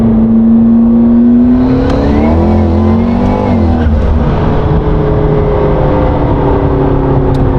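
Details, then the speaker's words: McLaren 650S V8 after full engine rebuild, valve jobs on both banks, two new valves, two new cams, new cam phasers and timing components, driven on road: smooth drone swelling under acceleration, no knocks or rattles. "we did it guys we got the 650 on the road completely rebuilt the engine did valve jobs on both Banks two new valves were replaced two cams were replaced we did cam phasers new timing components and man this thing sounds so good take a listener"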